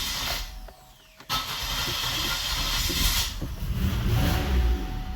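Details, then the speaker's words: 2005 Buick LeSabre right after starter replacement: engine catches after a short crank and settles into an uneven idle with a faint stumble in the beat, a slight misfire. "sounds like we have a little bit of a misfire but that's gonna be for the next project"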